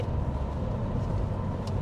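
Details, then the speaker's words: Porsche 928GT driven at road speed after rear wheel bearing replacement; it had groaned for about six months, mostly on long motorway runs at top speed. Now only low tyre and road rumble, no groan or hum; bearing normal. "it was kind of groaning like an old goat for about 6 months now and it's one of them jobs I was getting around to do and then you you get sidetracked with other things but I mean listen to that no noise at"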